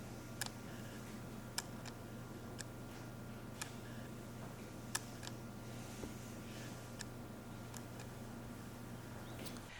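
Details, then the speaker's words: Tamron 24mm F2.8 OSD M1:2 lens for Sony FE, video focus pulls: light, sharp clicks about once a second over quiet room hum as the OSD focus motor drives focus; autofocus motor clicking, not silent. "as you can see, you can hear some light clicking at occasions when making those focus shifts. Something about, as it begins to drive focus, there's a little bit of a clicking noise from that OSD, which Optimized may be silent, not so much."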